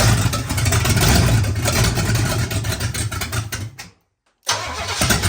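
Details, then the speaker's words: Oldsmobile 400 G big block V8, sat for a couple of years, first start with no coolant: cranks, catches and settles into a deep, even rumble with no misses or knocks, no smoke; healthy start-up. "I guess it runs good. But no coolant, we can't run it long. There you have it. It runs great. No smoke, no nothing."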